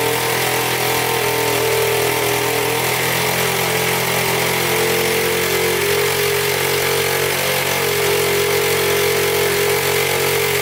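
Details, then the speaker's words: 1977 Honda Z50 four-stroke that would not start, running after fixing an air leak at the throttle body, with a loose timing chain: fast, even putter at steady idle, no misfires or clatter; oil leaking near flywheel. "all right she fired up i guess i had too much air in the system so i plugged up the throttle body right there and fire right up"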